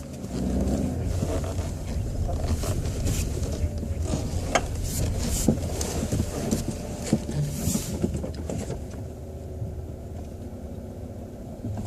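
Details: 2006 Chevrolet Cobalt coupe at 99,000 km: irregular clanks and clicks over a low idle while turning the steering wheel when parking or in first gear, caused by a binding steering intermediate shaft, which the dealer replaced.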